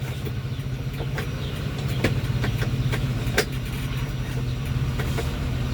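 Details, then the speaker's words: Daihatsu engine (Gran Max/Xenia/Avanza/Terios type), freshly rebuilt and not yet broken in, idling slightly fast after valve clearance adjustment: steady, even idle with no tapping; previously very noisy valves, now quiet. "suaranya halus. Ee apa namanya? Tidak teruk. Sebelumnya nih mobil ini sangat berisik suara klepnya ya."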